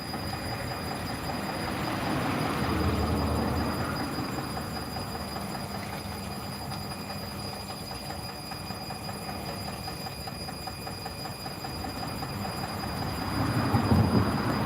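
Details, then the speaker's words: Bosch WAE24364GB washing machine after a new motor, with worn-out dampers, spinning an unbalanced load: rumbling spin with a repeating knock near three per second that follows drum speed. The owner doubts it is the spider; cause not confirmed. "I don't like the knocking noise, but I doubt it's from the spider as it makes"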